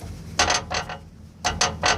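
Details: 2015 Toyota 4Runner with Icon Stage 1 suspension and 3-inch springs: short bursts of metallic clatter and creak from the rear coil springs over road bumps; owner believes the springs aren't fully compressed and the KDSS sway bar bracket contacts the track bar.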